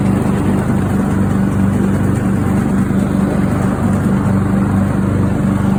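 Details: Craftsman riding mower engine that fired but would not run, after a new fuel shutoff solenoid, fuel filter, spark plug and fuel treatment (owner suspected water in the fuel): smooth, even low drone at steady speed, no misses, knocks or surging; healthy.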